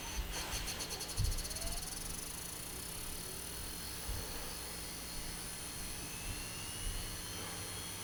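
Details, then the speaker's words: 2TB hard drive in a six-drive RAID 5 NAS: a faint steady whir with occasional sharp clicks before it stops spinning. The drive is failing and was replaced. "for it there's the click get an ssd this is not worth it anymore sounds like a snake now i know this hard drive is dying so i am not worried"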